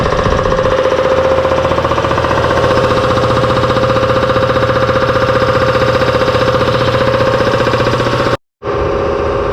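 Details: Newly installed shop air compressor, first run: loud, rapid, even pounding about three beats a second over a steady motor drone; it runs but the knocking noise is disliked, cause unknown.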